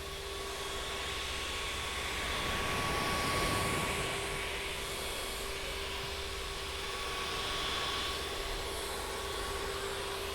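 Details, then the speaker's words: Creality Ender-3 Max Neo 3D printer printing: steady airy fan hum with faint constant tones; steppers nearly silent, no motor whine or knocking, normal fan noise. "I have to say that the printer does have quite a bit of sound noise, but the steppers are pretty much silent, or the motor."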